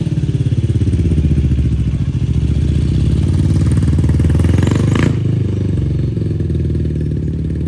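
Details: 2004 Yamaha YFZ450 quad after sitting, carburetor cleaned for a clogged pilot jet and new ignition fitted, on a freshly hooked-up battery: crisp, even single-cylinder thumping, clean revs up and down, no stumble or misses; fan kicks on, not overheating. Normal running.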